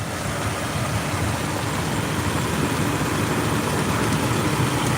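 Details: 2003 Jeep Wrangler 4.0L six: steady low idle rumble with air-conditioning fan hum on top, no ticking or knocking; normal idle.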